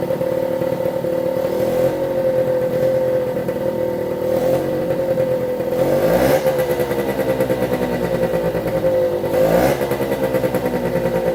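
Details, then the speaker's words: 1973 Suzuki TS50 two-stroke 50cc, first start after full restoration: one-kick start with choke, steady idle with quick clean rev blips; oil pump pumping but air in lines needs bleeding; normal running. "that that's it starting one kick quite pleased with that"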